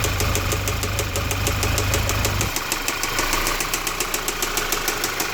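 Steady idle carries a light, regular tapping about three times a second over the engine hum; a knock of unknown origin.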